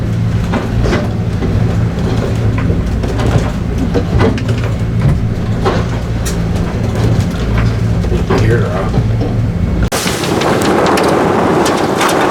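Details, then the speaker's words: Leopard 45 catamaran bought in 2021, Z-Spars mast: irregular hollow slaps and knocks over a steady low drone as broken internal conduit flaps loose inside the mast; loose conduit slapping inside mast. "What if you can hear it slapping in the mast?"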